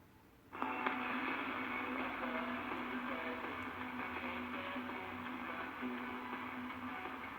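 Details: 1931 RCA P31 portable battery radio running on 9-volt batteries that sag under load: thin, narrow sound with a rough, gritty edge as the sagging supply voltage drags the output into distortion.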